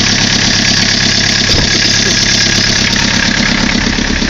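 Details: 1981 Chevy LUV 4x4 with little 2.2 diesel, likely sat on a farm from new until 2008: steady idle with even clatter, about three pulses a second, no misses or odd knocks; normal healthy diesel idle.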